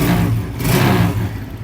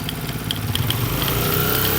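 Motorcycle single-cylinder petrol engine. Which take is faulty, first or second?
second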